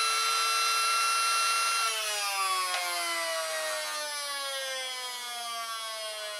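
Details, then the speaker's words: Small homemade open DC motor on 9 volts, with a brush assembly and housing from other motors: a thin whine slides down in pitch as it slows, held back by a weak magnet on the bottom that is to be replaced. "this motor has got a weak magnet on the bottom so I'm going to use this to speed to speed it up this is how quick it goes"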